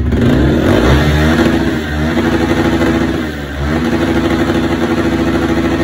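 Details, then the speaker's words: 2017 Yamaha R15 after fuel system cleaning and refuelling, previously starting but bogging and failing to rev; now revs up and settles cleanly without hesitation, normal running restored. "โอเคสรุปรถคันนี้สามารถกลับมาสตาร์ทติดได้เหมือนเดิมนะขี่ได้ปกตินะครับ"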